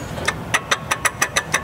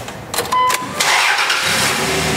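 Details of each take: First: 2001 Dodge Dakota 3.9 L V6, belt removed, idler pulley spun by hand: sharp gritty clicks about five times a second, bearing with play; idler pulley bearing failure. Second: 2001 Dodge Dakota 3.9 L V6 started with the belt off to verify a bad idler pulley bearing: brief start, then even, steady idle with no chirp, whine or tapping; normal engine running, noise gone.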